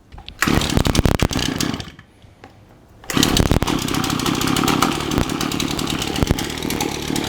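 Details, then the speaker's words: Shindaiwa AH242 hedge trimmer with gummy purge bulb and loose exhaust housing: two-stroke sputters, nearly dies, restarts to an uneven wavering buzz; spark arrestor flow okay, fuel delivery fault. "fuel flow through the exhaust feels okay so i don't think we're dealing with a bad or a clogged up spark arrestor"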